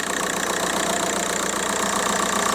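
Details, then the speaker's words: VW Golf Mk4 PD130 diesel after injector loom replacement and EGR valve refit: even idle, steady unbroken clatter, no misses or lumpiness; no vibration, running as it should; normal idle. "there's there's no vibration it's it's running just like it should run it's a pleasant place to be"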